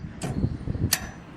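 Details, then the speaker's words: Whirlpool gas laundry-center dryer with the slanted panel removed, start pressed: two sharp clicks with a low hum between as the gas valve tries to come on, but the drum motor never starts; cause is a blown thermal fuse, replaced. "The gas valve tries to turn on, but the machine isn't starting up."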